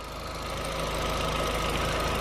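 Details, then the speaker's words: Audi TT 1.8T after rocker (valve) cover gasket and half-moon gasket replacement to cure an oil leak: a steady, even idle hum with a faint high whistle, no knocks or misses, and the engine looks dry; normal idle. "okay so it's all started up now all sounds good all looks dry just gotta do a bit of a clean up down here"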